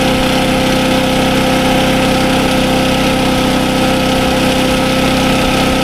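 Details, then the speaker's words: SDMO 5000W generator, Briggs & Stratton engine (about 18 hp), after repair, now putting out good voltage (about 140 V, slightly high); steady stable hum at constant speed, no surging, knocking or rattles; normal running. "Okay. Now, as you can hear, the generator runs super well. It's putting out good voltage."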